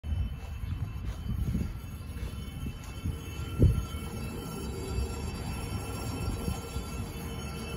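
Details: Trane XB12 heat pump just after it shut off: low uneven rumble with faint thin tones and a single dull thump, seemingly from the reversing valve; cause suspected, not confirmed.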